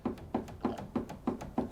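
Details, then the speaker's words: Ford Mondeo passenger front door: loose plastic part of the door lock mechanism rocked by hand gives sharp hollow taps about three a second against the door metal; possible rattle source, rattle not fully resolved. "You can hear that banging onto the metalwork."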